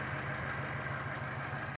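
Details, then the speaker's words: 2007 Chevy Cobalt idling with uneven stumbling pulse; unplugging cylinder one coil changes nothing, showing a dead cylinder caused by a bad fuel injector on cylinder one, coil previously replaced. "so then that leads me to believe it's this one that is bad unplug it it stays the same"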